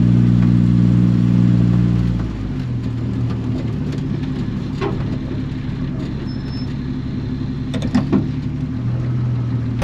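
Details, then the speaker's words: 1946 Studebaker M5 pickup with AMC 258, cold start on a 70-degree spring day: engine fires after some cranking, then a rich, stumbling, loping idle that settles unevenly; a known cold-blooded carburetor with a flat spot. "You can see, like I said, that carburetor's off stumbly. I ran it that way last year. It's super cold-blooded."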